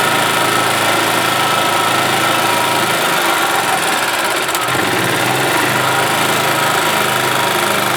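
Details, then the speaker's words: 1991 Yamaha G8 gas golf cart, single-cylinder engine that had been dying a few minutes after starting: after cleaning junk from the carburetor, fitting a new fuel pump and adjusting the mixture screw, it runs with a loud, even, steady idle without stumbles or misses. "that is working as it should all right guys well there you go carburetor had junk in it and the fuel pump was shot"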